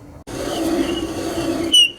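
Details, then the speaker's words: 1982 Kenmore 110.86171 dryer, about 43 years old: thin high squeak over the motor hum while the drum turns, then a sharper chirp; suspected worn motor bearing. Motor, belt idler and rear drum seal were later replaced. "This motor, as you can hear, it's kind of squeaking when it's turning. Yeah, there's definitely some squeaking there, isn't there? Wonder if there's a bearing in there or something that's going."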